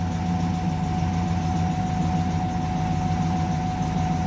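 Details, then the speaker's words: Engine's first start after work, with no fuel leaks seen. It starts right up, then warning lights come on and codes show bank 2 sensor 1 oxygen sensor and misfire. Steady idle with a coarse drone and rumble, sounding rough and noisy. "god this engine sounds like crap okay so first time as you can see it started right up"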